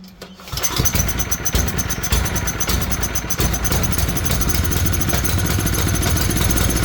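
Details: Tecumseh generator bought as non-running, started with the brown low-oil sensor wire disconnected; oil was later found low. Catches after a short crank and settles into a steady, even single-cylinder run with no stumbling or shutdown.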